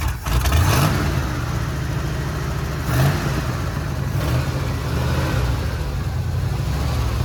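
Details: 1979 Ford F100 V8, sat ten years, run on temporary fuel line: blips up, then deep slightly uneven idle holding only with choke almost fully on; fuel-starved carburettor suspected, not confirmed.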